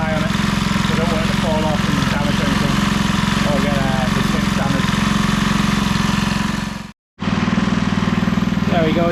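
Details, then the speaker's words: Briggs & Stratton 3hp IC Model 80212 four-stroke on a Masport rotavator warm after about 5 minutes of running, before shutdown: a steady, even beat, running smoothly with no leaks. "running for about 5 minutes now and we'll just shut it off there so push the throttle to the full stop position that's the engine stop there's no leaks or anything"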